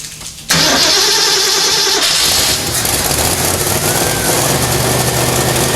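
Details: AMC 304 V8 rebuild in a 1979 AMC AMX, another start attempt with full tank and filled float bowls: starter cranks, engine catches into a rough, hissy run while flooded; carburetor found over-fueling with suspect power valve.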